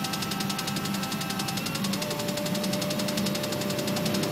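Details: Acura NSX: rapid, even clicking riding steadily over a low engine running at constant speed; cause unknown.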